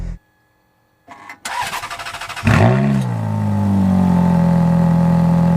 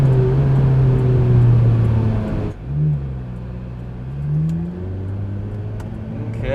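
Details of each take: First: Ferrari F430 V8 just delivered from California, hot in the sun at about 98°F with a known bad battery. About a second of slow, labouring cranking, then it catches with a rev flare and settles: weak battery. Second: 2005 Ferrari F430 V8 with 23,400 miles, push-started after arriving with a dead battery: strong, clean pull with pitch climbing smoothly through the revs and easing off between pulls; healthy under acceleration.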